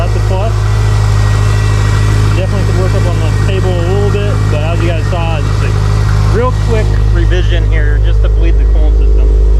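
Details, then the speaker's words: Subaru STI with a 437-mile motor, on E85 fuel with an E85 map and no flex-fuel kit, fired up cold after reassembly before warm-up and tuning: deep, steady idle with no exhaust leak puffing or ticking heard. A normal idle. "See if there's any exhaust leaks, any other kind of leaks or anything. I didn't even turn the heat on."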